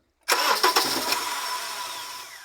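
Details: Honda CR-V starting with transmission support jack removed: as the engine catches, two or three hard metal-on-metal knocks, then settles to idle; drivetrain jolting on worn transmission mount.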